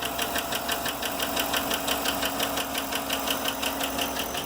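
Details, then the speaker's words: 2010 GMC Yukon, 5.3L Vortec LS, 87,595 miles, idling with oil pressure now at 40 after earlier low oil pressure: a crisp, steady tapping over the engine hum from a collapsed lifter. "right now you can probably hear that tapping but the oil pressure is now at 40 at idle and I'm pretty sure you can hear that really well"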